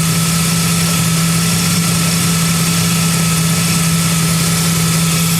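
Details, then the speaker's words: Vehicle idling after a serpentine belt squeal fix, with no cooling fan running: even, steady idle with a smooth low tone and no squeal or chirp; the belt drive now runs quiet. "all right up we don't have a fan on it that's how quiet it is see how quiet it is"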